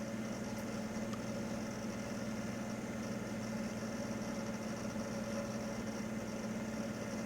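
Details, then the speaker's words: Packard Bell Legend Supreme 1820 desktop, Pentium 200 MMX, at power-on: steady electrical hum with a rough, dry grinding whir from a dry fan bearing, either the CPU or power supply fan. "first thing you'll hear is the grinding from the dry fan not sure which van it is it's either the cpu or the power supply fan the only two fans on it"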